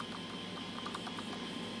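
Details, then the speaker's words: 3M MP220 pico projector shaken gives a light, irregular ticking rattle from its loose, misaligned optics engine, causing blurry image spots. "Those are your optics, and depending on how you shake it depends on how well the full clarity of your image will be."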